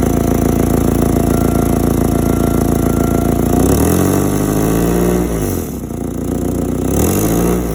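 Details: Forklift engine idling and blipped through a few revs; loud, gruff, raspy exhaust note swelling and falling; exhaust leak suspected, not confirmed.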